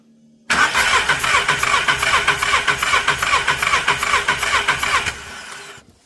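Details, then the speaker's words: Skoda Fabia (year unknown), cranking on the starter for a compression test with injectors disconnected, because cylinder 1's plug is wet: an uneven beat of roughly two and a half per second; cylinder 1 has no compression, with a broken exhaust valve. "Таким чином ми виявили несправність першого циліндру ми розуміємо що в нас обломаний сам випускний клапан"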